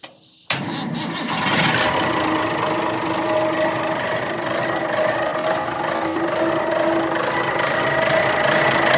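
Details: 60-year-old Clark Michigan 55A wheel loader diesel, started after refitting an O-ring fitting to check for a leak: brief crank, catches at once, settles to a steady even idle with no misses or knocks; healthy running.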